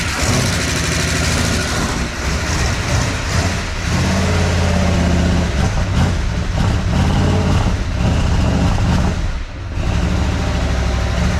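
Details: 1988 Dodge Power Ram truck that sat 23 years, running on a newly fitted aftermarket air-gap-style intake with milky oil and water spitting from the exhaust; a loud, lumpy V8 idle surges, stumbles and nearly dies, then smooths as it runs. Rough idle; rings in one cylinder in doubt.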